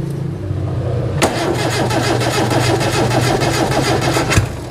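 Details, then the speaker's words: Daihatsu Zebra 1.3 carbureted engine, hard to start, after spraying fuel into carburetor (accelerator pump suspected not working): uneven cranking then sharp pop through intake; carburetor backfire, fire risk, carburetor setting to be checked. "Nah, yang seperti ini, jeblok seperti ini yang menjadi khawatir dulu. Mobil yang kebakaran juga seperti ini. Kita setar, bluk, ini malah keluar bensin sama api terus terbakar."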